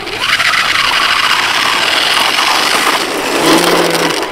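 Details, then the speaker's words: Arrma Typhon 3S RC car at the skate park with metal transmission gears but plastic differentials: rough, raspy grinding over the motor whine rising and falling with throttle; rear differential gears stripped. "right and nobody likes that sound [Applause] okay well there's a wonderful plastic gears in these things"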